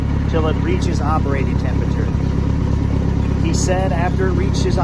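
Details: Circa-1986 Starcraft boat inboard engine, stored about six months, running on water hookup; steady, even low rumble with no misses or stumbles over a noisy background while warming up.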